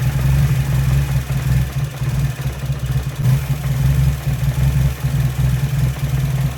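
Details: Nissan 240SX idling near 980 rpm during a TPS sensor test with a multimeter. The idle dips, surges and splutters until the engine dies.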